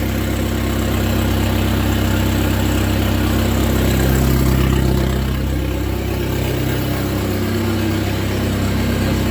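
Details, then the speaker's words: SRT-4 engine in a Mazda B2200 drift truck, running with sensors still unplugged. Low, steady, even idle with no surging or knocks, surprisingly not loud. A smooth, clean idle that doesn't vibrate the truck. "I'm really ecstatic about that idle. Like that. That's a really smooth, clean idle, and it doesn't really vibrate the whole truck either."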